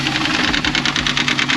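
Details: 2004 Subaru WRX wagon turbocharged boxer at idle with fast, sharp knocking of about ten a second, mistaken for rod knock but caused by a collapsed timing belt tensioner whose pulley spins freely.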